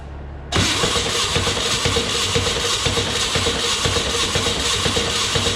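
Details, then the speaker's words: 1962 Berry Mini T kit car, VW engine, distributor cleaned, points set 0.3, cheap distributor timed per Haynes: steady cranking about one beat a second, no catch; timing 180 degrees out. "so i set the timing based on the haze manual and it wouldn't run it was 180 degrees out and spit sputter wouldn't take"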